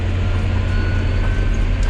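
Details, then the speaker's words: John Deere 6210R tractor with IVT transmission after calibration, engine speed set to 1800 rpm, at 30 mph: deep steady diesel drone with a faint constant whine, no knocks or surging; normal smooth cruising. "see, it's running at 1800 RPMs, running at 30 mile an hour, no problem."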